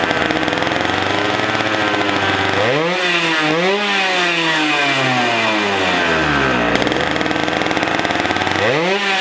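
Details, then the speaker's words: Two-stroke 100cc racing go-kart engine, unused for years, first run after being started with a drill for spark. It revs in surges, then sags toward stalling each time and won't hold idle; hard to start. "yeah she works yeah it sounds really good definitely into a little cartoon it does want to die but yeah solid"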